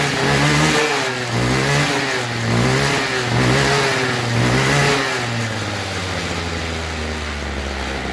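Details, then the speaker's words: String trimmer that wouldn't start, after carb cleaning, new fuel lines and air filter: engine surges up and down about once a second then sags; rough running, suspected dirty or faulty carburetor diaphragm, later replaced. "it's acting like it's dirty it sounds like the diaphragm or something it's probably the diaphragm"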